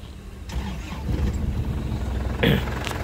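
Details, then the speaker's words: 2004 LS Black Panther diesel with 2022 GS dry battery, healthy; brief strong starter crank, engine catches promptly and settles into a steady, crisp, calm low rumble without missing; normal cranking and start. "Lur, mesinnya, Lur. Dari suaranya kelihatan masih renyah ya. Suaranya masih renyah."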